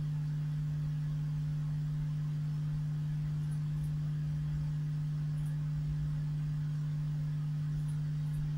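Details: 1970s Marshall 6400 mixer amplifier: steady low hum at one pitch with nothing else behind it; mains hum attributed to failing supply capacitors.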